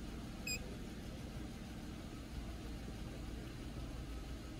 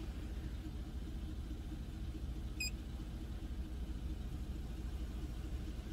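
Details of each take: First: Car idling on scan-tool EGR test with the step EGR opened only about five percent, no effect yet: low, steady idle rumble with an even beat, no stumble or surging; normal idle. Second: Engine at idle with the step EGR valve commanded open by scan tool to about 23–29 percent: low, uneven, stumbling idle dropping to about 500 rpm and missing; misfire from excessive exhaust gas recirculation.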